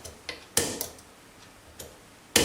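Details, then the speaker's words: Gege euro cylinder with anti-pick pins, bump key one pin out, light bump and very light turn: a few sharp bump strikes with faint light clicks; only one or two pins reset, not as many as wanted. "Okay, so one pin out first, nice and light bump. You can hear 1 or 2 pins being reset,"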